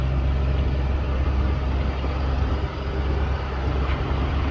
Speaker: As you can see, it runs really well, starts nicely. Door buzzer's obviously working. Runs great.